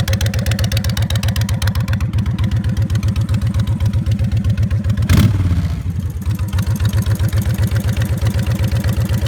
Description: Odd ticking noise that comes and goes on my 2006 Honda VTX 1300C